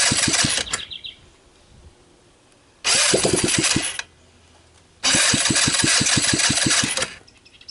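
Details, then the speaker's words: Returned 150cc GY6 clone scooter engine test-started in its shipping box with a jump pack to the starter and a portable 12 V CDI ignition; loud unmuffled popping as throttle is blipped, quiet idle between, starts and runs cleanly. "so there we have it obviously it starts and it runs"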